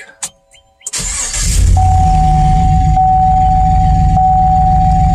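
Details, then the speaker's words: Chevy truck with failed ignition coil on cylinder number one: engine cranks, catches, then idles with a steady but lumpy pulse, about four beats a second, running rough from the misfire. "so this is what your car sounds like with a bad coil"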